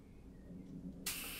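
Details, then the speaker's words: 3D-printed air engine fed from a pressurized bottle, push rod too long. A sudden sharp hiss of escaping air as the cylinder head is pushed on with the cam at minimum; the valve is held open when it shouldn't be. "hear it's opening the valve when it shouldn't be so that means that the push rod is too long"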